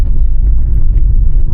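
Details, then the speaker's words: 2026 Honda HR-V EX-L, about 4,000 miles, on a dirt road after the two bad trim rattles were fixed with cloth tape: only steady low tyre and road rumble, no buzzing or ticking, cabin quiet. "So, I fixed the two rattles that were bad with the car just by using a little bit of that cloth tape."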